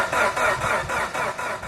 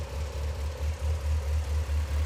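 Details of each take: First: Mitsubishi Evo 8 after fitting an air intake and other changes with the lower timing belt cover installed: steady starter churn at about four beats a second; the engine cranks but never starts. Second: Mitsubishi Evo 8 rebuilt with a new OEM engine, running at a steady low idle with an even pulse, no knocks or misses, just a faint cam chatter on top.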